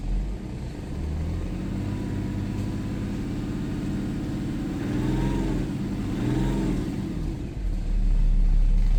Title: BMW N57 rod knock (F11 530xd 2011 @ 367 000km)